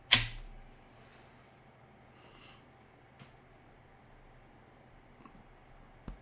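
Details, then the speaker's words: Serviced Macintosh floppy drive in an LC475: sharp clack as the disk seats, then quiet spin with a few soft head ticks, no grinding; reads normally after repair, though one gear part still needs proper lubrication. "nice that sounds good well now i know one more little bit of uh part of the gear that i need to lubricate properly"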